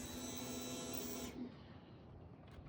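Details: Motorcycle that won't start, fuel pump fed power directly by jumping its wire: steady electric buzz for about a second and a half, then cuts off; pump runs normally, so the fuel pump relay needs replacing.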